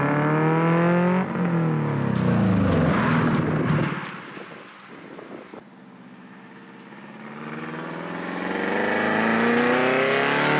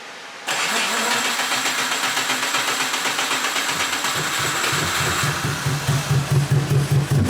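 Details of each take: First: AWD classic Beetle build using a Subaru, first test drive doing higher-speed runs up to 40 with no windshield. Engine pulls cleanly, pitch climbing smoothly through each gear with no stumble. Only minor squeaks from unbolted fenders. Healthy under acceleration. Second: AWD classic VW Beetle build, first start after bad-gas problems: rough lumpy start that sounds like only a few cylinders firing, then catching up with a big bang, won't idle without held throttle; misfire with backfire on start.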